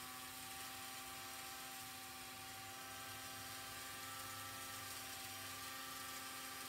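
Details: Vintage Lionel 3927 track cleaning car motor after disassembly, cleaning and repair, on track: quiet steady high whine at one pitch, no rattle or catching; rotates very well, normal motor run.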